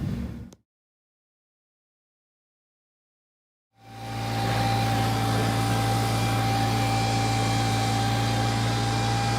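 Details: 2006 Toyota Prius exhaust after sealing two tailpipe/muffler holes with J-B Weld HighHeat epoxy putty, no welding: smooth, even drone with no puffing or ticking; exhaust leak sealed, quiet exhaust.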